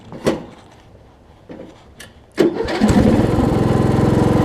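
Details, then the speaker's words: Weed Eater riding mower with a 16.5 hp Briggs single-cylinder engine. A couple of dull turns, then it catches and settles into a steady, even beat with no misses. It starts, runs well and drives. "okay we have a good running mower here and it drives"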